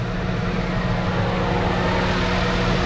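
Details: 2009 Lincoln MKZ after a misfire repair, codes cleared: smooth, even idle hum with a steady low drone and no skips, all six cylinders firing properly; normal idle.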